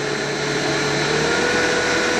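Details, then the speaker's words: 1.5 HP single-phase 220V motor converted to run three-phase on a 1.5 kW VFD, run up to about 90 Hz, very fast; a smooth, steady high-pitched whine with a clean hum and no roughness; running normally. "Earth's 90 and I'm not gonna go much higher than that because that's pretty damn fast"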